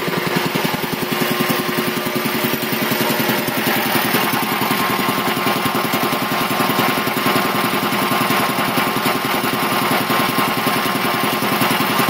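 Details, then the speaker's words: 1975 Quincy QR-325 compressor pump converted from a 3-phase to a GE 5 hp single-phase motor on a smaller pulley, pump slowed from 796 to 621 rpm, building pressure; a steady pumping beat of about two strokes a second with a smooth hum and no knocks. "it still runs very very nice and quiet so actually probably choir then maybe it originally did but still builds up pressure pretty quick"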